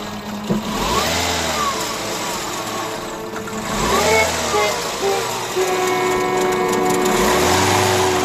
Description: First start of the 1.6 THP Peugeot 207 Le Mans at the action terrain. It ran on 2 cylinders, with a long list of fault codes: P0087, P0772, P1336, P1338, P1340...